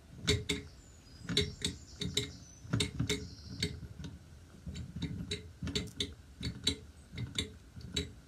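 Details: Mamod TE1a toy steam traction engine on a rolling road, warming through with the valve opened slightly: sharp, quick ticks and clacks in uneven bursts of several a second. It runs loud and clattery.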